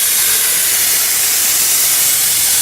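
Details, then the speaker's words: Wood-fired steam boiler above about 50 pounds pressure, blower valve opened a little: a constant, even high steam hiss with no sputter or pitch change as it draws air into the fire from below. Normal blower operation. "what that does is it draws a lot of air into the fire from down below, but of course you're using steam as well."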